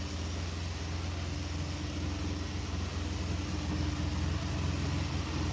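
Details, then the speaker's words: 1986 Chevrolet Silverado 4.3 V6, 71,000 mi, after new EGR valve, new sensor, rebuilt throttle-body injectors and new thermostat: a lumpy, irregular idle like a cylinder not pulling; owner suspects a dead plug or two and stale gas. "it sounds like it I I think I think it's got a couple I think it's got a plug dead. Um, I'm not 100% sure. It needs some new plugs."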